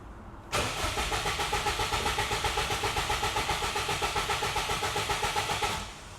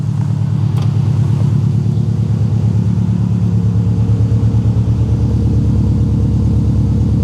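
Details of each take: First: Subaru WRX bought cheaply as a non-runner, unknown time since last driven, possibly stale fuel, radiator found empty with cap missing: catches and idles with a lumpy pulsing beat about five seconds, then dies abruptly; owner suspects an electrical fault. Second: Subaru WRX bought cheaply as a non-runner, radiator found empty with cap missing, no knock on first start: low, even burble at steady idle with no knock or miss, no smoke, no radiator bubbles; idling normally.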